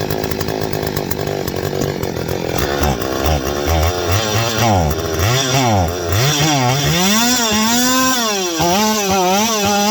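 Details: Stihl 025 two-stroke chainsaw: uneven revving climbs, then stumbles and drops back, falling on its face under throttle. A vacuum leak is suspected, tested by squirting 2-cycle mix; the bogging returns once the gas dries.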